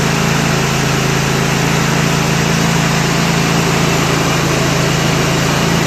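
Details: Kohler Command 25 hp CV730 V-twin on Husqvarna riding mower, after carburetor cleaning, coil replacement and mouse-damaged wiring repair: smooth, even beat at constant speed, no surging or hunting; running well.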